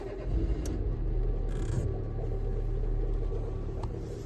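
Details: Renault Megane 2 1.6 16v petrol, cold idle after clutch replacement: deep uneven rumble with faint droning hum; disappears with clutch pushed in and after a few miles once the engine is hot.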